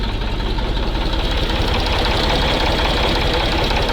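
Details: MAZ truck diesel, cold start in frost after long storage, starting fluid sprayed into intake: steady even idle with rhythmic clatter about 160 beats a minute, no misses; normal cold-start idle, no oil leak seen.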